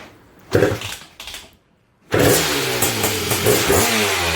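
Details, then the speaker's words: Honda TRX250R two-stroke, 38:1 premix, OEM ignition at zero-degree timing, first start: catches after a few kicks, lumpy blubbering idle stumbling on throttle blips; running rich, needs jetting. Bog on revving. "uh so yeah we're definitely uh we need to do some jetting because y"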